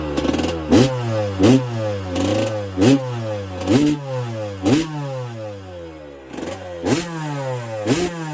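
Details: 1999/2002 Yamaha YZ125 converted to YZ144 two-stroke, first start after full restoration and carb rebuild kit, engine not yet hot: sharp blips rising and falling about every second, crisp and clean, no rattle; normal healthy revving.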